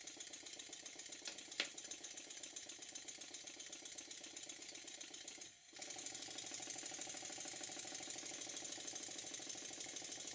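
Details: Stuart model steam engine after a very fine adjustment to cure a slight knock from one cylinder: soft steady steam hiss with quick, even chuff and no knocks or stumbles; runs smoothly on low pressure.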